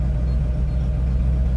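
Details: Mercedes-Benz R107 380SL V8 idling, engine not very warm, after new distributor cap and rotor arm fitted for cutting out when changing gears at idle: smooth steady low rumble, no misfire, stumble or cut-out; normal idle.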